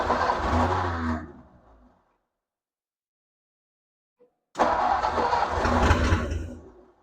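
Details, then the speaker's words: 1957 Ford Thunderbird barn find, off the road over 50 years, first start attempt: two short bursts where the engine catches for about a second and dies, silence between; fires on prime only. "it fired that's awesome first time in a long time this car has been started"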